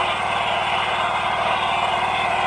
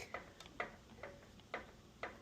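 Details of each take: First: Scag 36-inch commercial walk-behind mower, four-stroke gas engine with low compression (about 60–70 PSI), after oil change and maintenance: steady, even running with no more of the lifter knocking/ticking. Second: Scag 36-inch commercial walk-behind mower, four-stroke gas engine: sharp, regular metallic ticks about twice a second, first suspected as rod knock. Compression tested low; knock came from the lifters and went away after an oil change and maintenance.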